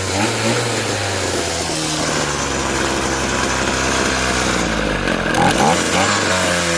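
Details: Echo SRM-2320T string trimmer, a heavily used curb find: a high-speed two-stroke scream that wavers, dipping and surging instead of holding steady; running unevenly. The owner rules out spark and suspects a carburetor worn out from many hours of use.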